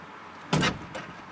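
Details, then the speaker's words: Automatic car parked on a hill, shifted out of park: one heavy clunk then lighter knock as load releases off the transmission; set the e-brake before park to avoid it. "you hear that you hear that huge load coming off the transmission"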